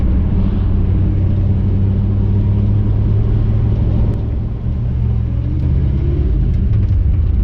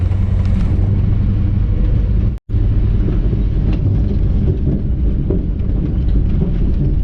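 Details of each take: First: 1959 Chevy El Camino, off the road 29 years, cruising after the driveline carrier bearing was bolted up. Steady engine and road rumble, revs easing down and back up, with no grinding or whine; quiet driveline, the noise is gone. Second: 1959 Chevy El Camino, first drive after 29 years off the road, pulling under throttle mainly in second gear. Deep rumble with occasional sharp cracks and pops and grinding, suspected from the driveline.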